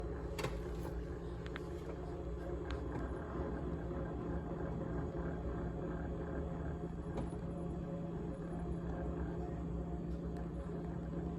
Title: GE Model GTH18XCTZRBB Refrigerator Rattling Sound on 3-27-2021